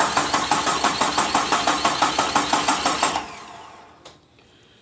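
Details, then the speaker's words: 1972 Jeep Commando with 2000 Cherokee 4.0 straight six swap, throttle working and fuel dumped in: starter cranks steady pulses about three a second for three seconds, no firing; crank no start, no spark, coil pack unplugged. "throttle works so it's not an air issue no which leaves either fuel or spark spark we just dump fuel down it so it should have fuel"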